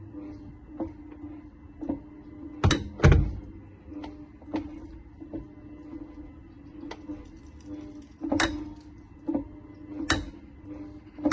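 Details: 2023 VW ID.3 electric car held on the brake while switching between Drive and Reverse under throttle: sharp irregular clicks and clunks over a steady electric hum, possibly from rear wheel outer CV joint free play, possibly related to TPI 2064631.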